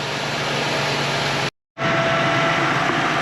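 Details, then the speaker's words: Ford Transit 350 3.7L V6 after new water pump, serpentine belt and tensioner, idling with coolant reservoir cap off to bleed: steady even idle, smooth belt hum, no squeal, chirp or knock; normal. "Now that we have the van running, we have the cap off on the coolant reservoir. You can see that our pulley is moving nicely. The belt's spinning freely."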